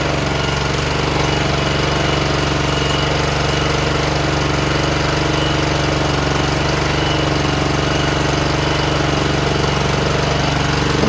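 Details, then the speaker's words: John Deere JX85 commercial walk-behind mower, previously hard to start, after carburetor rebuild, clean fuel and a tightened air filter cover, started on full choke: holds a steady, even drone with no hunting or surging. Running normally. "I'm not hearing any surging I think we took care of it whatever it was"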